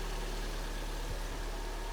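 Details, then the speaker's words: Kia Sportage 3, G4NA petrol engine, 147 mileage: first start after oil and antifreeze are vacuum-filled and the chain and hydraulic lifters fill with oil. Owner reported a cold knock, quiet when warm, and oil use of 300–400 g/1000 km. Steady, even idle hum with no ticking or knocking; normal idle. "Запускаем сейчас. Цепь наполнилась маслом. Гидрики. Смотрим те, слушаем."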